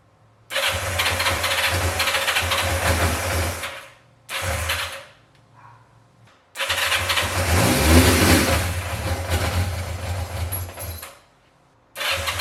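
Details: 1986 Yamaha FZ600 four-cylinder, first start after 15–20 years, fresh oil, fuel just fed to carbs (a fuel leak appeared): several short runs after starting, then a steady idle picking up cleanly with throttle blips; running and revving.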